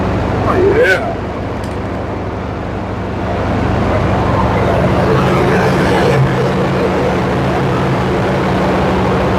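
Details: Square body Suburban big-block V8 after accessory belt replacement, sat about two weeks: smooth even idle, steady low rumble, no belt chirp or squeal; healthy.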